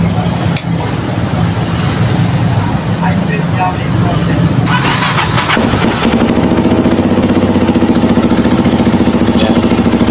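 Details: Kawasaki KLX 230 fuel-injected motorcycle that would not start, now running after battery and fuel pump checks, warmed briefly then restarted: brief crank, then it catches and settles into a steady, even idle; runs healthy.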